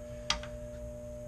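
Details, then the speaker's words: Relay on a Mammoth HVAC unit job (upgraded to Johnson Controls Facility Explorer controller) bench-tested with a 9-volt battery: red light comes on, single crisp click over steady hum as it energizes; relay pulls in properly and works. "you can just put the 9-volt battery on here you can see the red light and you can hear it kind of click on the inside while at least I can feel it"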